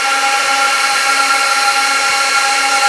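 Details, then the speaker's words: 2006 Apple Xserve A1196 server booting a Snow Leopard disc: loud, constant roar with steady high whistling tones that never ramp down; fans stuck at full speed because the heatsinks lack temperature sensor wires. "The fans are not going to shut up because there's no wires for the heat sink temperature."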